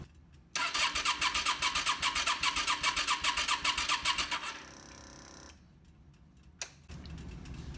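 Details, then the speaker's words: Yamaha Star 650 cranking on the starter with fuel drained from the carbs and a spark gap tester on the plug wire: steady whirring with even rapid pulses, about five a second, for about four seconds; cranking sounds healthy. "good ignition such a test could easily be repeated on the other side that sounds good too"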